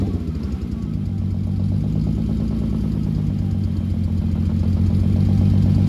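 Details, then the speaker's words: Rebuilt VW VR6 (new crank, rods, pistons), cold start recorded at the exhaust before coolant fill: uneven, stumbling pulse as a cylinder drops out. Misfire of unknown cause; possibly a disconnected wire. "We've got to I've got to trace down that misfire. I don't know what that is or why that is. Maybe there's a wire disconnected somewhere."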